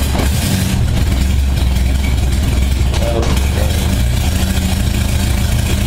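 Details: 1978 Honda Goldwing, cold start at about 52°F after carb sync, choke on: low steady even idle around 600 rpm, no misses or knocking; settles into a nice idle after little warm-up.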